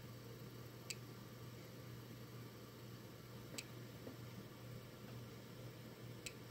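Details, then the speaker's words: Desktop PC after a power outage, with new power supply and new GPU installed: at power-up it turns on but gives faint sharp clicks every couple of seconds over a steady hum, no POST beep, something flashing at the back; cause unknown. "apparently it's turned on but it's not working when you look in the back this is what happens apparently that's kind of flashing a little bit too every time you hear that little clicks"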